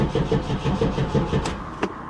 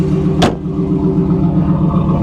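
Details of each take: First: 1994 Pontiac Firebird Trans Am 25th Anniversary, LT1 V8, 119,000 miles: fuel pump audible, then the starter spins at an even five to six pulses a second and the engine never catches, with occasional brief pops. Battery weakening; out of gas. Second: 1994 Pontiac Firebird Trans Am idling with about 5 gallons of gas in it: smooth, even idle with a steady low rumble and no knocks or ticks, sounding healthy.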